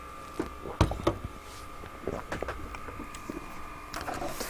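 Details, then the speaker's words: TV used for testing during a Nintendo NES repair gives a thin, steady high squeal throughout, with clicks and room noise; cause unclear. "a squeal in here well less the telly I can't remember what you said that that noise was less perhaps if I whack it it'll stop"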